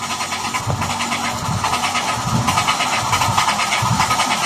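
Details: Mitsubishi Mirage G4 that won't start: the starter cranks the engine steadily at an uneven pulse but it never catches, because the fuel pump motor has failed and needs replacing.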